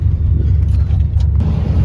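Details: OBS Ford truck after a Saginaw power steering pump swap, idled up after a restart, holds a steady low idle while the wheel is turned in a parking lot, with no whine or groan from the pump; steering sounds healthy.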